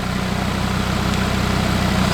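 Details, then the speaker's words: Audi RS3 DAZA five-cylinder at warm idle on first start during coolant bleed, heater matrix warm and thermostat probably starting to open; steady, even low burble with regular firing beat, no knocks or misses, normal healthy idle. "Sounds freaking awesome, doesn't it?"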